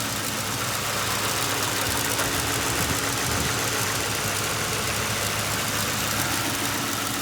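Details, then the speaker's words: 2005 Ford Crown Victoria Police Interceptor, sat about a year with suspected bad fuel pump and dead battery, started on fuel poured into the intake: steady, even V8 idle, no knocks or misses; AC compressor engaged, transmission engages, alternator charging. "Engine sounds good. AC compressor engaged. Automatic transmission engages."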